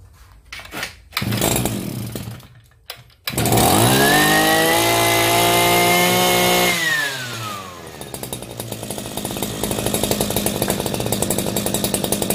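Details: Shindaiwa B40L brushcutter after a hard-start repair; its fuel mix had far too much two-stroke oil. Started with choke, it fires after a few pulls, revs to a clean steady high whine, then drops to an even idle and runs normally.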